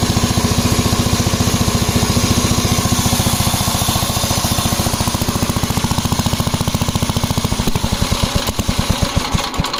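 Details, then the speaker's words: 1961 Gravely L single-cylinder tractor at set throttle: uneven, hunting thumping about 214 a minute, slowing toward the end; failed engine governor not regulating speed, governor replaced. "The first indication that I got the governor wasn't working as that noise you heard. And the set throttle speed that I had it at, that's where it stayed."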